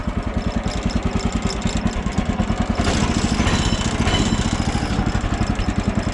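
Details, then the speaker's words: Woodland Mills HM130 portable sawmill small petrol engine idling with the clutch not engaging: steady even low thumps, just the engine and slight vibration, no clutch drag. "here right now you just hear the engine and maybe a little little vibration there hear how it's just the engine"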